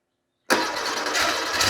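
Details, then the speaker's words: 1987 Porsche 911 Carrera 3.2L engine on a test stand, first start after sitting for years, fuel pressure about two bar: rough, uneven running with sharp irregular exhaust pops and a smell of gas, suspected unburnt fuel. "just getting a lot of popping out the exhaust which I think is unburnt fuel just smells like gas in here it's really popping"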